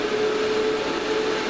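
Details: Series-mounted cooling fans in an amateur radio equipment box: even airy rush with faint steady hum near 400 Hz, no rattles or surging; noise level dropped.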